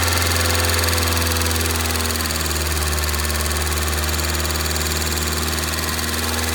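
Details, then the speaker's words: 2002 Rover 75/MG ZT engine that stalled at idle with an unpleasant noise and sat for a while, now idling smoky and clearly misfiring. A light, even ticking about four per second over the engine hum points to noisy valve tappets. "it is on the smoke here side don't I'd say but you can see the there are some valve taets there are a little bit noise to the"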